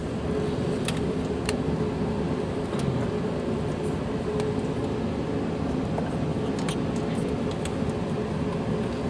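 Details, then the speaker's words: 2010 Mini Cooper petrol engine idling after the spark plug change, still misfiring on cylinder 4; the coil pack there is being spark-tested. Dull, slightly ragged hum with no crisp even beat: misfire, possibly from a failed ignition coil. "so we're getting a misfire on cylinder 4 and we just count them 1 2 3 4"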